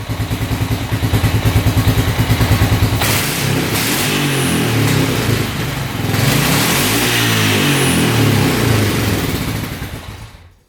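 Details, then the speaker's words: 1998 Honda Foreman 450 ATV after carb work, pilot jet 48 instead of 45, air screw out 3 turns: revs out cleanly, even firing, no stumble, popping or hesitation; normal revving. "Yeah, I mean, that sounds pretty darn good."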